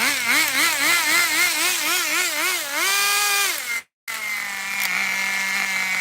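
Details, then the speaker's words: Kyosho nitro RC Baja Beetle: a shrill little nitro engine revs freely, then idles steadily with nothing pulling. The motor runs fine, but the car has no drive and a transmission/drivetrain failure is suspected. "i think we just broke it um the motor is okay but look at this we got nothing i think something went down and it's probably busted"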